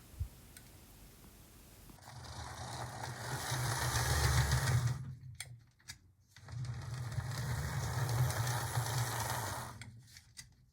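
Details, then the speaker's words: Atlas GP35 HO loco after cleaning wheel crud: small motor whirs evenly on two passes with a light steady tick; slight hopping remains, blamed on crud still on the rear wheels. "all right that sounds a whole lot better there is still hopping a little bit but I think what it is if I looked at these wheels properly there's just some crud built up on them and we're just hearing that go around and hitting the track"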